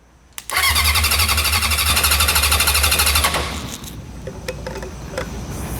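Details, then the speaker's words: Honda CB750F from a junkyard, sat for decades, revived and briefly run: starter cranks in pulses about three per second, then whirs and drops off without turning the engine; the starter clutch is slipping. "more oo starer clutch is not happy"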